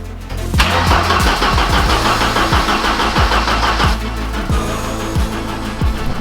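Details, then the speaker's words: Abandoned Ford Sierra Sapphire RS Cosworth, fueled, fuel pump running, no leaks: the starter turns the engine over at about three beats a second but it never catches. Crank, no start; cause unknown. "as you can hear your fellas the car is just turning over turning over turning over it is not starting up"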